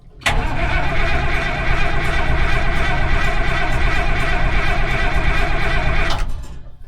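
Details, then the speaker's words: Minneapolis-Moline 814 tractor engine started on a warm day after cranking to build oil pressure, then given fuel: low uneven chugging for about six seconds that never settles to idle before dying; reluctant start, cause unknown. "All right, we'll give it some fuel, see what happens. Might have to give it some help."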